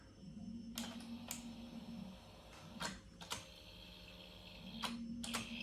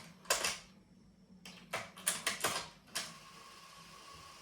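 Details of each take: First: Sony TC-WR670 dual-cassette deck in for repair, switched on: left deck motor whirs briefly amid mechanism clicks, right does nothing, cassette door won't open and the main motor starts but the transport stalls; belts look weak. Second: Sony TC-WR670 dual cassette deck in for repair: a few clunks as the mechanism engages, then a faint smooth whirr of reels in fast forward, which works normally. Forward play lacks strength, and the belts likely need replacing.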